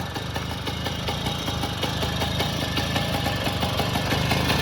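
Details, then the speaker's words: 1962 Zundapp Combinette 50cc two-stroke, original with points ignition and original filter, started with one kick: quick, light, even idle with steady note; healthy normal idle. "Nah, langsung saya cek sound untuk suaranya. Ini kontaknya. Nah, sekali engkol langsung nyala."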